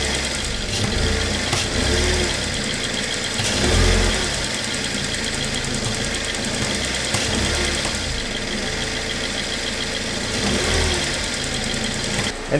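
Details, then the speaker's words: Small BMW, ongoing heater problems; mic held close to the timing chain while revving: light metallic rattle and clicking with each throttle blip, suspected loose chain or tensioner (not confirmed). "Can you hear it well, but then when you get the engine to turn on and off, you hear that click. And in my opinion, it seems a bit like it's a loose chain or a loose tensioner, and we shouldn't listen to that for very long."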